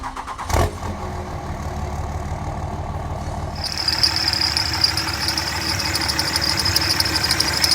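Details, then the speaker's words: 2003 Dodge 5.9L Cummins diesel (3rd gen) at idle: a sharp, constant high squeal from the idler pulley, first noticed while driving; pulleys sprayed one at a time with silicone lubricant to isolate it, idler pulley then replaced. "i'm gonna spray it on the pulleys one at a time and see if i can figure out which one uh is causing the squeaking in my engine"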